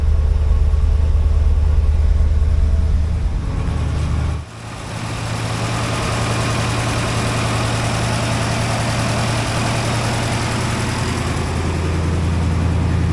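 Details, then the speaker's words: 1964 International Harvester Travelall C1100 after starter and battery replacement, warm idle at 174°F coolant with 180 thermostat: even, steady idle with one brief dip, then settles; engine sounds healthy. "It's sounding really good. Uh, temperature is at 174. It's a 180 thermostat."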